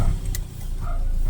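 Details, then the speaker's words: 2018 Ford Ranger, 12,000 on the clock, no start after new battery, fixed by adding extra ground, clearing errors and BMS reset: brief crank then engine catches at once and settles to steady low rumble, clean first-try start. "ayos one click na."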